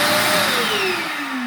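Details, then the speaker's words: Multipro (INA VC 10) wet/dry vacuum cleaner, about 1300 W household power, switched on: loud smooth rushing motor sound, clean tone sliding steadily down in pitch, no grinding or rattle; fairly loud, suction very strong. Normal vacuum motor run. "suaranya cukup kencang ya atau cukup besar suaranya"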